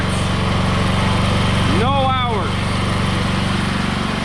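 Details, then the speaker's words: Wen 8750/7000 W generator after fixing a connection likely missed at the factory, running with a saw on the 110 V outlet, reading 243 V 60 Hz: steady governed hum, even beat about four per second, no hunting or surging. "looks like it's making power"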